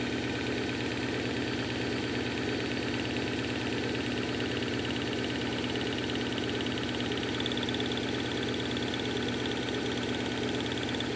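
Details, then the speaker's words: 1997 Subaru Outback EJ25D, head gaskets and heads redone in 2018, on a cold start: an uneven, stumbling idle from one cylinder misfiring due to low compression. "so let you have a quick listen to it now that it's cold starting with the misfire"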